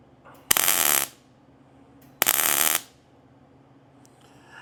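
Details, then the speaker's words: Arc welding a rusty antique vise grip part, cold, large gap: two short bursts of sharp hissing crackle, popping and spitting; spatter and backfiring blamed on rust and probably oil on the clean piece. "Yeah, these little things rising up. It's just from the rust, and there's probably oil on the clean piece."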